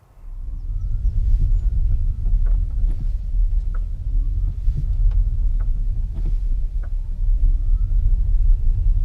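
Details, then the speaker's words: 2015 Nissan Leaf on the road: sharp clicks from the front axle over road rumble when moving from coasting or regen onto throttle or back into regen, especially on the flat; caused by a loose hub nut and a dry stub axle letting the driveshaft shift. "as you come from coasting or regenerative braking onto the throttle or if you let the throttle off and you go onto regenerative braking particularly if the vehicle is on the flat you hear a click"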